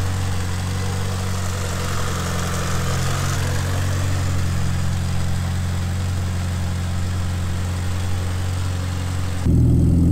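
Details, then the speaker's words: Mitsubishi Lancer Evo 5 with rebuilt 2.37 stroker 4G63T, first cold start: steady, smooth low idle with even, deep exhaust note and no knocks or ticks; running well while warming up. "the engines running you didn't hear our Quay is running absolutely mint so just gonna warm it out now let get off a cold start"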